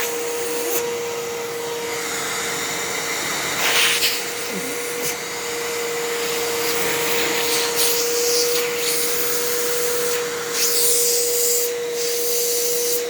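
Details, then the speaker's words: Halloween Fantom Fury vacuum: steady motor drone with a rough scratchy rattle; brush roll sounds bad, bearings sound okay, and it seems louder overall than another Fury. "oh that brush roll that sounds so bad and the motorcyc it sounds it doesn't sound like the bearings sound okay"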